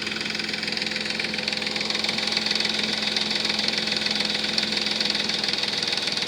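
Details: 3.5 Nissan Maxima at idle after a Motor Medic motor flush and fresh synthetic oil: fast, light ticking at about three to four per second, lifter noise still present; the flush did not fix it (the noise was worst at first start before the treatment).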